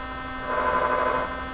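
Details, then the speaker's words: 1957 Chevy Wonderbar tube car radio powered up with tubes lit: steady low mains-type hum with a buzzy edge that swells briefly then settles, mostly coming through the speaker; cause not yet found. "but the real curiosity is what's going on with this radio why is it making this noise it sounds exactly like a"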